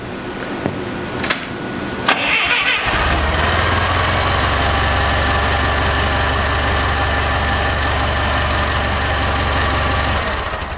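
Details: Clark C500 Y50 forklift, Waukesha D155 LP engine, after head gasket replacement, valve replacement and valve adjustment: a few seconds of cranking, then catches and settles into a smooth, even idle with no knocks or ticking.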